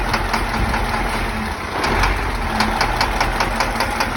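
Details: Diesel engine at idle with a sharp, irregular tap over the clatter, roughly a hundred a minute; a faulty injector is to blame for the knock.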